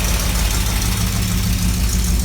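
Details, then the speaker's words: 1983 Chevrolet Camaro Z28 V8 after ignition timing set and burnt spark plug wires replaced: deep steady idle, even low rumble, no knock or tick; slight exhaust leak still audible. "Let's do it now. Sounds even better. Yeah, so it does. I had to fix a few problems I was having with the car, but I had to fix the timing."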